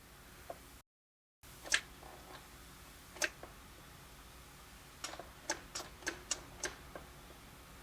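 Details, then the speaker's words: Realistic LAB-420 turntable, long stored, running at 33 rpm: quiet room with sharp, uneven ticks from the changer mechanism cycling at one spot when it shouldn't; start/eject not working. "but I do have a noise I don't know if you guys can hear that noise it's it's pretty annoying it's only at one spot"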